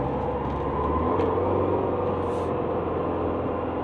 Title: Subaru Legacy 2010 brake grinding not pad & rotor!!! HELP